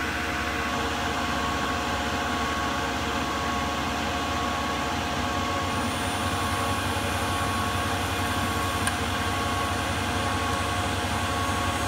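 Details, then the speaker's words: Milling cut using 1 mm step-downs with a fairly dull end mill. Steady low-pitched rumble with a continuous rattle underneath: a heavy chip load, attributed to the dull tool rather than the cutting parameters. "So this is actually a pretty heavy cut. I'm not sure, I don't think it's that it's heavy because of the parameters, I think it's because it's a fairly dull tool. But you can sort of hear that, I don't know, low-pitched rumble with like a rattling sound, and that's a pretty heavy chip load, that's what that sounds like,"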